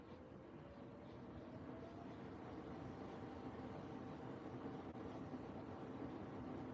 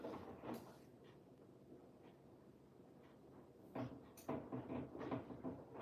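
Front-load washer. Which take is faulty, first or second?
second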